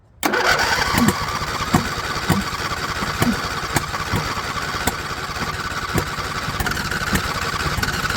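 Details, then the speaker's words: John Deere LA120, owner thinks a 21 hp Briggs twin, full throttle, no choke, fuel filter still mostly empty: it runs unevenly with sharp exhaust pops about every 0.7 s over a ragged idle; the owner suspects a valve clearance problem, unconfirmed. "she's really popping out the exhaust valve so really sounds like we have valve clearance issues going on"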